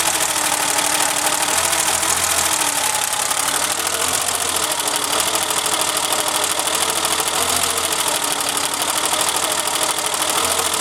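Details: Engine whose timing belt skipped teeth (bent valves) has an uneven, stumbling idle with a lumpy off-beat pulse and hissy top. Cylinder two is dead because the new distributor cap arced and stopped that plug sparking.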